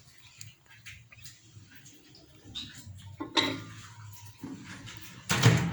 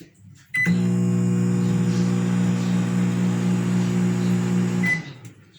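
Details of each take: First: Consul CM020 20-litre microwave after magnetron replacement, test-running with a cup of water. The loud noise it made before is gone and it now heats, with small clicks then a smooth, steady low hum: normal operation. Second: Consul CM020 20-litre microwave, before repair: loud harsh buzzing hum for about four seconds and no heating, diagnosed as a failed magnetron, later replaced.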